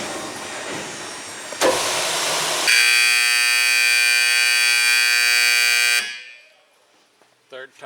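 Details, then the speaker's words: Vulcan WCP-350 screening washer compactor factory test, remote batch mode with simulated jam: shrill buzzing alarm about three seconds, then winds down and stops; "jam detected," shuts down after third detection. "We're going to try to simulate a jam. Jam detected. Jam detected."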